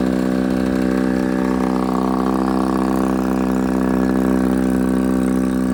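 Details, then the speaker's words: 1957 Johnson 18 HP outboard on test: steady, even two-stroke buzz at constant speed with no knocks or misses; runs well, needs choking to stop. "not so good I came out of it down to stop but I gotta choke it to stop she's a runner buddy"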